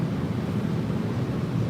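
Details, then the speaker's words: Steady low rumble with no hiss on top after the air leak was fixed; the air system is holding and sealed, with no air leak. "So you guys hear it now, it's not making a noise anymore. You hear that? No more noise. No more air leak, guys."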